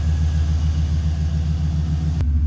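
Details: 2002 Chevy Silverado 2500 HD 4WD, 6.0 L Vortec V8, after replacing an alternator with a growling bearing: smooth, even low idle rumble with steady pulse, no whine or belt squeal; the belt is a slight concern.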